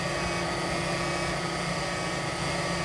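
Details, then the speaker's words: Chevy Bolt EV cooling/radiator-area fan running loud with an even high whirring that slowly winds up, no engine, occurring when charging reaches capacity in hilltop reserve mode; owner suspects overheating, cause unconfirmed. "but just it's a little a little loud and it slowly winds up"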